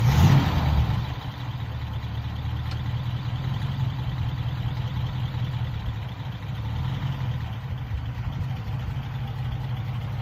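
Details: Cord 812, right rear wheel with new shoes, cylinders and springs: low engine idle, then a brief wavering high-pitched brake squeal at half pedal.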